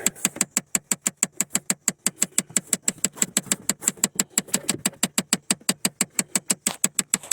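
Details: 2008 Chevy Impala LS with the AC on: sharp regular plastic clicks, about six per second, behind the glove box on the passenger side. A failing blend door actuator, replaced for the second time.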